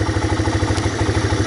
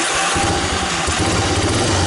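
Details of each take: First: 1985 Honda Big Red ATC250ES three-wheeler, previously stalling at idle, after cleaning a clogged carburetor jet: warming up with choke off, the single-cylinder engine idles with an even, steady low thump and no misses. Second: 1985 Honda Big Red ATC250ES single-cylinder trike after mice damage and carburetor work: starts and runs uneven and blubbery, rich on choke; with choke off, even warm, it peters out. Suspected clogged idle circuit/jet.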